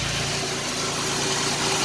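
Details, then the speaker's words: 1989 Chevrolet Celebrity 2.8 V6 with three-speed automatic and new exhaust, crankcase vacuum line capped off: even, steady idle with no stumbles; it misfires at idle when uncapped, owner suspects lower intake manifold gaskets. "the most healthiest 2.8 i've ever seen ever had"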